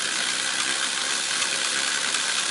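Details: Restored Aurora HO dune buggy slot car chassis running on track: high, even whir with light gear rattle and no low rumble; tiny motor and gears spin freely and run smoothly.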